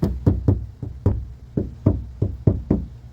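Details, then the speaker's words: 2014 Honda CR-V EX AWD door with bad prior bodywork: hollow, drum-like thumps with a lingering boom when shut or tapped. The outer door skin is loose and unsupported. "we're going to shut the door hear that sound there's like a like a wump it's it's"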